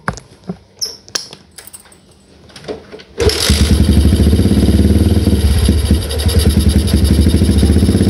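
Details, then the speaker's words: Old Yamaha Jupiter MX, cold morning, hard starting and stumbling, tested after refitting the carburetor suction hose: handling clicks, then an uneven, lumpy idle that keeps faltering and dies; still misfiring and stalling. "Yes ternyata masih Emangnya kenapa dibilang masih karena masih agak brebet ya karena masih hebat Mati mati lo"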